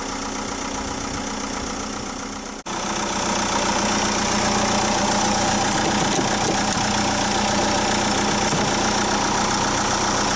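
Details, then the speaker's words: Chausson motorhome diesel, started first time after about 10 minutes on jump leads following a flat engine battery, left running; after a brief cut, a steady, even idle clatter with no misses or surges: normal idle. "I leave be running for it now"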